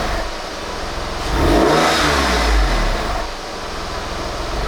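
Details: Salvage Porsche 996 911 after an oil change replacing decade-old oil: settles at idle, swells smoothly through a clean rev and drops back without knocks or rattles; runs healthy.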